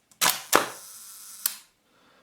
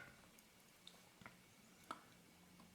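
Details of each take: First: Hasselblad Planar C 80mm f/2.8 T* leaf shutter at 1 second after servicing the sticky slow gear: crisp opening click, steady escapement buzz for about a second, clean closing click; timing normal. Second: Hasselblad Planar C 80mm f/2.8 T* lens leaf shutter at 1 second, out of exposure: sparse, dry ticks with long gaps as the slow gear is nudged; slow-gear escapement sticky with old oil.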